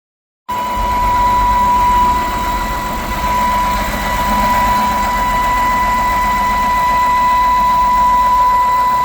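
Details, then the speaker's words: 2011 BMW 328i E90 3.0 N52 with loud whine and running hot: loud steady high-pitched whistle over a smooth idle, stops when oil cap is removed; leaking valve cover gasket suspected, water pump also thought bad. "Valve cover gasket. It's leaking. Valve cover gasket leaking. And it's making it whistle real loud."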